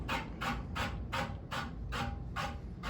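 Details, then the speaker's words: Homestead (Kontrust) Geneva ceiling fan, about 52 inch, on high speed with a slightly warped flywheel: rhythmic scrape about three times a second, once per turn; the fan wobbled out of alignment and is rubbing. "great all that time I spent trying to realign the freaking thing wasted because it just wobble itself into it so take notes do not run the fan on high"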